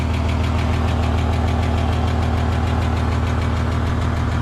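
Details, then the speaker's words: EF Ford Fairmont before repair, cold idle, mic near muffler: rapid buzzy rattle and puffing blow on each pulse; centre-section muffler baffles seemingly gone and rattling, likely hole in muffler, replaced. "Yeah, it definitely sounds like a hole in the muffler as well. Anyway, you get the picture. Sounds like rubbish, so sounds like absolute junk, so let's get that new bit in."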